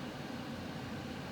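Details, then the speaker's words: Goodman gas furnace on a no-heat call: quiet, low, even fan hum with little air rush; the inducer motor isn't hot but sounds slow and weak, suspected, not confirmed. "i'll tell you this motor really it's not hot but it sounded slow and weak to me"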